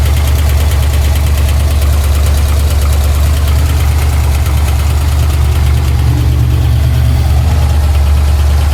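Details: Pontiac Trans Am V8 idling rough with a steady, fairly fast tick and a deeper thud under it, about three a second; first thought to be exhaust, heard all around the engine, oil pressure erratic; owner suspects the crank.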